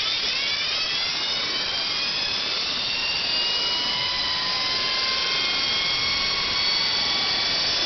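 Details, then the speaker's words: NetGain WarP 9 electric motor from electric Daytona, about 10,000 miles, after replacing brushes (two original had never engaged), freshly seated: high smooth whine, pitch slowly climbing, no rubbing, seemingly spinning quicker than before; normal motor spin. "no expert but it sounds like it might be spitting a lot quicker than it was before already"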